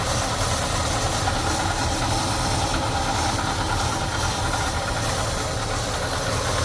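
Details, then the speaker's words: 1975 Ford F150 Super Cab big-block V8, 59,000 original miles, rarely driven, heard from under the hood after warming up: steady, even low rumble with a hissy top end, no knocks or misses; healthy idle. "Alright. There she purrs. Gotta love a big block Ford, huh?"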